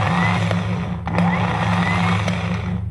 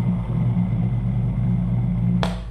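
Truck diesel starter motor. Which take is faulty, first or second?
second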